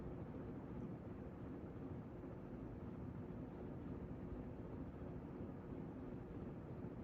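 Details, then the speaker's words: Newly installed Encon "Bouquet" ceiling fan with the blades reconfigured after wobbling in the four-blade setup: only a very quiet, even whoosh of the blades with no ticking, hum or rattle; runs smooth and normal. "see now it's quiet it's not making any noise that I can hear besides the blades"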